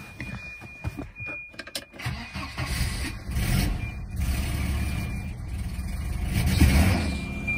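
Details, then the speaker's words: Volvo 240 idling after a cracked exhaust leak was repaired with a repair compound cured about 24 hours: catches after brief crank, even low idle, exhaust much tighter, faint remaining noise underneath. "she's up and running and as you can hear it's definitely much better it's not perfect but you know I get something a little bit of a noise down there somewhere"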